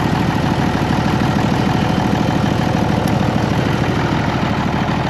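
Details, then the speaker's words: Case 1175 tractor diesel, parked 15 years, restarted: even steady idle with regular low beat, no knocks, faint turbo whistle and normal haze; sounds smooth, normal diesel idle. "Let's fire it up again and listen to it. Oh, it's just so smooth."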